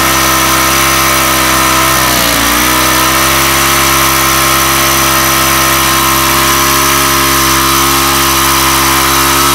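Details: Weathered 29cc four-stroke Craftsman Speed Start curved-shaft trimmer, run after checking the oil level, suspected oil leak: screams at a constant high pitch where it should idle, dipping briefly once then holding; idle speed set far too high.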